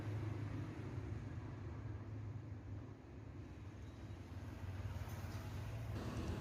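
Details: VICTOR 20-inch fan after its stuck, slow, noisy bushing was replaced with a ball bearing: soft even low whir with no rubbing or rattle, spinning smoothly.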